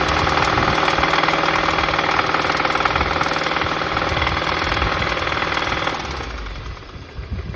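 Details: VW Golf GTI Mk7 Performance Pack, CXCB engine, revved idle to 3000 rpm, back, then 4000 rpm: sharp metallic rod knock following rpm; suspected run without oil after plastic oil pan broke.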